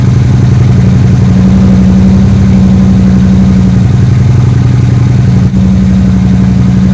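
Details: 3rd Gen Camaro Z28 carbureted V8 after replacing the plug wires and the spark plugs that caused a dead-cylinder misfire; steady, even idle with a smooth low rumble and no misses or stumbles, now a normal healthy idle.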